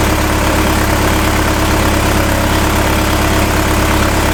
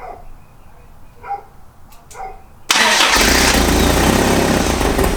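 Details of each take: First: 1986 Toyota 4Runner after electrical harness work, after adjusting idle air screw and disturbing fuel resistor, O2 and mass airflow connectors: steady, even idle, constant low hum, no stumbles or surges; normal idle. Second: 1986 Toyota 4Runner being revived: two roughly three-second cranking bursts with the starter spinning steadily, but the engine never catches. A spark was seen and fixed just before, and the owner suspects another, unconfirmed fault.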